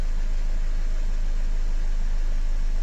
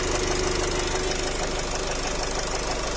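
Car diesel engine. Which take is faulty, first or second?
second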